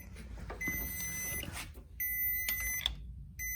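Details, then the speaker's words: Small jump pack powering Pop-Up scissor lift: shrill high beeps in short bursts as the pack trips out; owner suspects back feed when the lift motor cut off. "So those beep when you put them on a car. When the car starts, the alternator tries to charge them and they cut off and they beep. So I suspect that was some kind of back feed from when the motor cut off."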